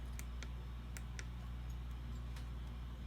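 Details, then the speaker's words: RCI-2970 Gen 1 radio on the bench, in for intermittent audio and power output problems: sharp little clicks at irregular intervals over a low steady hum as the front-panel buttons are pressed; some click crisply, but the up and down buttons feel soft and do not click. "ooh up and down seem to be a little soft hear that click on these ones but not on these so yeah we'll have to take that apart anyway"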